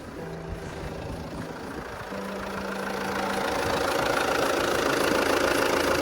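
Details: Alfa Romeo Giulietta diesel idling in neutral just after a fuel/diesel filter change and fuel pump priming: even, steady clatter that grows slightly louder but stays smooth and regular; running normally after restart.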